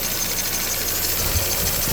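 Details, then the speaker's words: Barn-find Mini, sat over a year, started on a new battery, idling around 1000 rpm: even idle with a faint thin high-pitched belt squeal; otherwise no abnormal noises, new belt considered. "so now it's idling there is some slight belt squirrel going on down here"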